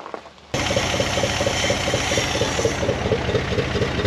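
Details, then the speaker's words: 1974 Dodge W100 Power Wagon V8 after 41 years parked, in gear under load with low transmission fluid and no reverse: uneven chuffing exhaust beat with light rapid tick; odd exhaust note, cause unknown. "see the the little cut off thing that exhaust is funny it's it's loading well"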